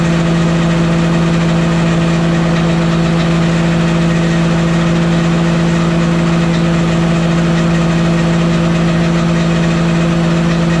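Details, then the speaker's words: Walker mower deck after fitting new OEM blades and hubs: loud steady metallic rotational hum at one fixed pitch; noise unchanged, deck source not yet found. "I guess I explained it wrong. It's like a rotational noise, but it's like metal sounding."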